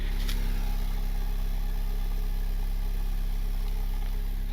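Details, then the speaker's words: Honda Civic R18 with a new budget eBay turbo kit, manifold and intercooler piping, warming up after first start. A smooth, even, quiet idle with a slightly louder exhaust drone and no misses, knocks or ticks; a small tick was possibly an exhaust leak. "All right, letting it warm up here. But so far, I mean, super smooth. Pretty dang quiet."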